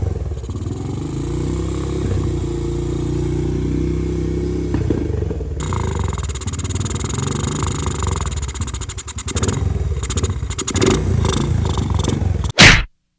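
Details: 2017 Honda TRX250X (believed): runs on light thumb throttle but stumbles toward stalling with sharp exhaust pops when throttle is released; backfire and stalling off throttle.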